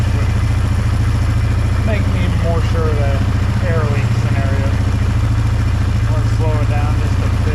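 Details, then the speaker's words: 2005 Polaris Trail Boss 330 single-cylinder, unused for years; thumping, stumbling idle that hangs then drops; suspected intake air leak or idle screw set too high, leak then spotted. "now let's see if the idle still hangs around over me comes back down a little better still sounds stumbly though"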